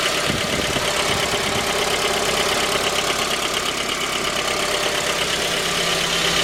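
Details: J20A engine (2010), cold idle: sharp, regular deep bottom-end knock over the engine note. Began at 10,000 km and, in the owner's view, worsened after oil changes; dealer checks were normal. Found a scored crankshaft journal on cylinder 3, blamed on non-recommended oil; short block replaced.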